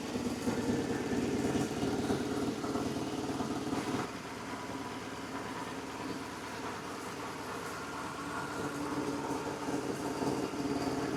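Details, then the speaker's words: BMW GS motorcycle, warmed up, after valve clearance adjustment, new spark plugs and service: starts and settles into a steady, fairly even idle with no knocking or ticking; runs much better than before. "so she runs well, much better than before."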